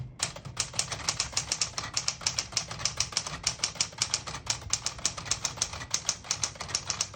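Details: 1961-63 Tower Citation 88 portable manual typewriter, typing in red on ribbon's bottom portion: crisp, even key strikes four to five per second, clean carriage action, nothing dragging or sticking; working normally.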